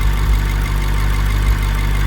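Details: BMW 650i N63TU twin-turbo V8 with Pure Turbos stage 2, Dinan intercoolers, WMI, E40 tune, after installing high-output ignition coils and plugs gapped at 20 to cure boost-related misfires: steady, even low idle with no stumbles or skipped beats, running cleanly.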